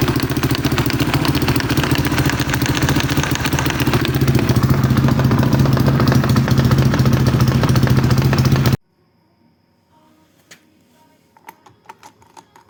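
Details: Atlet 300 with a 172FMM engine at steady idle: a regular hard knock about three to four times a second until shutdown. The oil centrifuge came loose and broke apart, leaving the oil channel intact.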